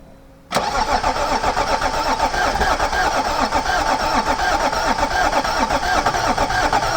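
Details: Range Rover L322 M57 diesel after new glow plugs, an injector, thermostat, crankcase breather, belt and EGR delete, coolant water only: cranks briefly, catches at once, settles into steady idle clatter, no misfire or knock.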